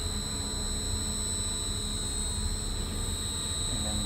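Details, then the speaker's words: Potain MDT 219 tower crane hoist being stepped up through its speed steps: steady electric drive hum with a constant high whine and even low rumble, running smoothly at the second step. "Also, it's the same for the hoist. You can hear that's the first step, if you can hear it, and then second step,"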